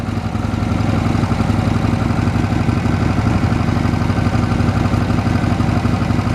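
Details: 1979 Harley-Davidson FLH Electra Glide, about 20,000 miles, after top-end rebuild with new heads, valves and rings to cure smoking, low power and a deceleration clack: even V-twin pulse pulling away smoothly, no clack or tick; healthy.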